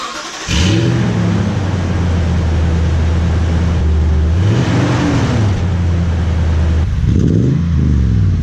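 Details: Toyota Tundra with new TRD dual exhaust, recorded from behind the truck: cold start catches cleanly into a deep steady idle, then quick revs rise and fall smoothly; healthy.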